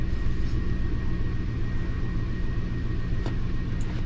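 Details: 2005 Lincoln MKT V6 at idle, misfire and low power with bank 2 timing issue; steady idle with a lumpy pulse about four times a second; power balance test shows cylinder 5 not contributing at all, dead cylinder.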